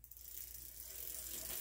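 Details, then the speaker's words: Fast, rough, popcorn-like ratchet clicking from the spinning freewheel of a Huffy Trail Runner full-suspension bike: a dry, noisy freewheel felt rough in the hand, before it was quieted. "if I pedal backwards or if I just kind of let it spin it sounded like popcorn or something like just kind of like a lot of extra poppy noises that were happening and I'm like that's not supposed to sound like that"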